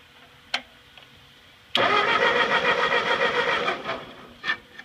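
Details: Ford 8N tractor that sat 4–5 years, after adding fuel and draining the carburetor bowl, with choke and a fuel drip. Brief cranking, then a ragged two-second catch that sputters and dies without starting. The cause is not confirmed.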